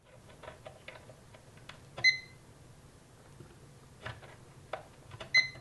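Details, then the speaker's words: Uni-T UT161E multimeter in diode test mode: two short high-pitched chirps a few seconds apart over handling clicks, green light and diode lit; good diode confirmed. "So chirp and green light, that's pretty good. And it lights the diode."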